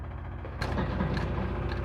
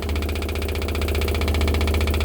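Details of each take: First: 1969 Pontiac GTO after a FiTech fuel injection conversion replacing the carburetor, before first fire: a quiet hum, then a steady buzz at key-on as the electric fuel pump primes normally. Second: 1969 Pontiac GTO during a FiTech fuel-injection conversion, engine off, in an interior noise test from inside the car: the Holley electric fuel pump runs with a constant deep drone and fast, even pulsing. It works but is louder than wanted.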